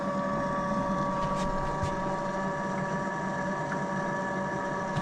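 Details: Motorhome fresh-water pump, system unused for years, after clearing the airlock, water tank running low; steady even hum with no surging, sputtering or rattling, moving water normally, fault was the airlock.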